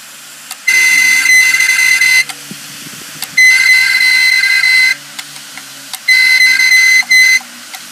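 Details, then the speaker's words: Seagate Barracuda 1.5TB 7200 RPM hard drive, about two years old, started clicking; with the cover removed and the head moved by hand, it gives harsh high-pitched screeching bursts separated by sharp isolated clicks. "oh man that sounded terrible um yeah if you have a important data definitely don't do this I'm just uh moving the platter head"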